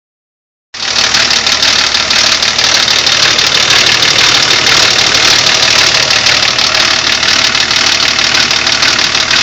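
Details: BMW E34 TDS diesel running with a fast, uneven metallic rattle over the idle, about three a second, attributed to a stretched timing chain and worn guides; timing chain rattle.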